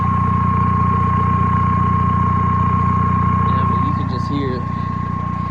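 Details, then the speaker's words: VW TDI diesel after intake manifold and EGR valve cleaning and a test drive, owner had feared a bad turbo: steady idle with a clear turbo whistle on top, even firing pulses, no knocks; turbo and exhaust sound normal. "You can hear the turbo now, which was a concern of mine. I thought my turbo had gone bad, but you can hear, I don't know if you can hear this in the video, but the exhaust, the tailpipe is right"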